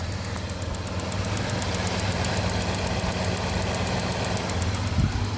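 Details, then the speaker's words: Engine idling: light, quick, even ticking about three a second as the pulsed EVAP purge valve draws fuel vapour from the carbon canister near the tank into the intake; normal purge valve operation. "it draws the vapor from that carbon canister near the tank and into the engine okay so that's how it gets rid of uh fuel Vapors okay so what's that that's what that ticking here he goes can you hear"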